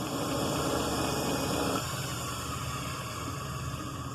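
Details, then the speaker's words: Delta Milwaukee DP220 drill press with slow-speed pulley, motor freshly remounted, belt possibly loose or needing dressing; steady even whir with a soft belt pulse about four per second at slow speed. Normal running. "n so now I put it on the slow speed yeah that's definitely look at that that's a lot slower"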